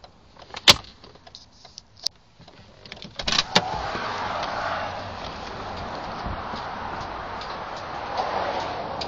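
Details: 1980 Mercedes 300SD (W116), ignition on: sharp relay clicks each time the brake pedal is pressed or released, from relays behind the glove box and low on the engine-bay firewall; the clicking stops above 2–3 mph.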